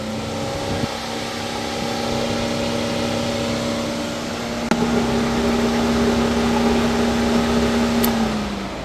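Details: 2019 Mercedes-Benz C300 with codes P048300/U062387, ignition on only, engine not running: the radiator fan roars at a steady high whir at full speed all the time, caused by an internally shorted electric coolant circulation pump.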